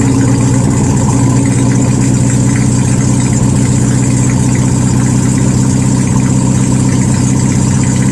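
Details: 1972 VW Super Beetle air-cooled flat-four, no exhaust fitted, 51°F, after starter and ignition work: loud raw lumpy uneven beat, needs throttle to keep running.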